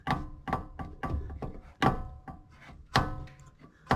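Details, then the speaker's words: Lexus LS460 front suspension, control arms replaced four years earlier, knocking over dips with wheel turned: hard hollow clunk each time a pry bar levers the sway bar end link, as its ball joint bottoms out. "That's not the pry bar, that's the joint hitting the bottom of the end link."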